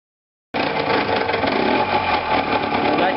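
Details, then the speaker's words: Small two-stroke engine just back from a ride: rough, uneven buzz with loose knocking, ignition timing thrown off by a sheared flywheel key; owner suspects bottom-end damage. "Oula, pas beau du tout. Je rentre d'une petite sortie et voilà."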